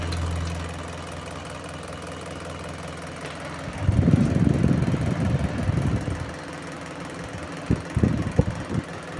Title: Table fan shaft problem || Table fan making noise || Table fan repair 🤗 Solved